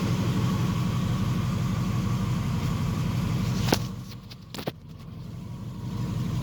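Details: Triumph Stag after engine rebuild: low, even idle rumble carrying a faint rhythmic beat near three per second; noise only starts once revved to extinguish the ignition light; cause unclear.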